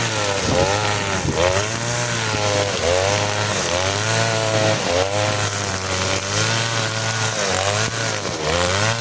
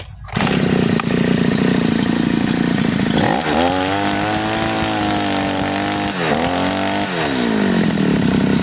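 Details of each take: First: Side-mounted two-stroke brush cutter with nylon line: high-revving steady buzz dips slightly and recovers in thick grass, pulling strongly without bogging; normal running under load. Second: Side-mounted two-stroke brush cutter, new-from-shop factory setting with the mixture screw under the carburetor too loose: wavering, blubbery revs that sag and struggle to climb; rich mixture, fuel-hungry and powerless, most noticeable with nylon line.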